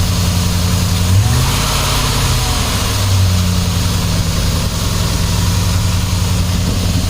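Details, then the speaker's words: 2007 Dodge Ram 4.7L V8 setting P0507 high idle code: steady, even idle held noticeably high with no hunting; smoke test shows a vacuum leak pouring out behind the intake. "Obviously something's leaking if it's idling high."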